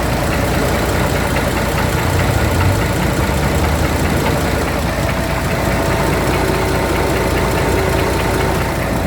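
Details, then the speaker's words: Scania diesel truck idling with a dull, slow knock from a worn camshaft: the injector cam lobe for cylinder 6 is damaged. The knock repeats at half the crankshaft rate and is louder on that side, and it was recorded before disassembly. "Да и соответственно периодичность этого стука будет проявляться в два раза реже чем обороты коленвала"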